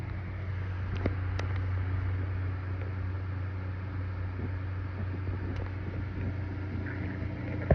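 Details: Throbbing hum, a low steady drone with a faint pulse, from inside a computer case; it started suddenly while making music videos, and the owner suspects heat inside the case.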